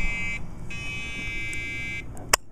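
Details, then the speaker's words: Dell Dimension 2400 at power-on with two 2 GB RAM modules fitted: steady shrill repeating long beeps over fan hum; memory rejected, likely exceeding BIOS RAM limit; 1 GB modules later worked. "I don't know what version of the bionos this has it's very clearly unhappy I think it's a ram issue"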